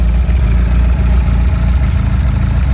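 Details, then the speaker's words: Ford Pinto 2-litre four-cylinder running again after a seizure that had left it unable to start, steam coming off the exhaust: steady, even low rumble with no knocks or misses; smooth, healthy idle. "running. So, I'll knock it off so you can hear me talking now."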